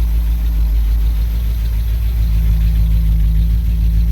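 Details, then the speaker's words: 1964 Cadillac DeVille convertible V8, fitted with an Edelbrock carburetor and not yet tuned, recorded from the rear: deep, steady idle with an even low rumble under a loud fan whir, no misses or knocks; normal idle. "Yeah, she sounds great. And I still haven't tuned her."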